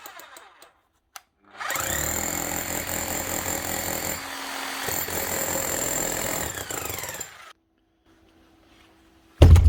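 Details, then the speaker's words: 24-year-old Bosch GBH 7 DE hammer, likely unused 10–15 years, switch fixed with glued plastic piece: starts cleanly into fast, steady hammering rattle, runs evenly about six seconds then stops; hammer works properly. "that's it that's all wrong with it running perfectly otherwise one 24y old Bosch gbh 7 de that could easily have been lying up for the last 10 or 15 years up and running again with a little piece of plastic glued onto the switch"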